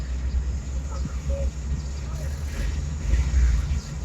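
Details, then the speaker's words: Suzuki Cultus after fixing RPM dropping when AC switched on: steady low rumble, even idle with AC on, no shaking or hunting; RPM now rises with AC and vibration is gone. "हाँ गाड़ी वो vibration देखो ख़त्म हो गया, हालांकि AC on है।"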